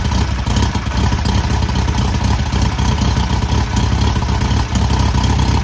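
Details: Newly rebuilt VW air-cooled 1600cc flat-four on its first start and break-in: steady, even low idle with a light valvetrain clatter on top and no knocks; normal idle.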